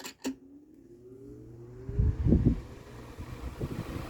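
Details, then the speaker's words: Late-1990s Lasko 16-inch oscillating desk fan, Model 2016 Type 16-1, started on high, drawing 0.74 A against 0.9 A rating: click then soft hum rising smoothly as blades spin up, no rattle or scrape; healthy motor. "Has a cool startup sound. These like 90s Laskos and 2000s Laskos honestly had really cool startup sounds."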